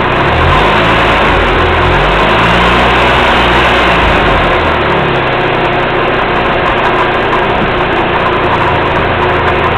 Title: Rattling sounds